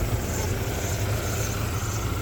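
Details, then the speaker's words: 1994 Ford Ranger 2.3L four-cylinder after hose and starter replacement, steady low idle heard from above the engine with no misses or knocks; still a little rough underneath, owner suspects an exhaust leak, far better than before. "it still sounds still sounds a little rough but it's completely night and day difference from how it was"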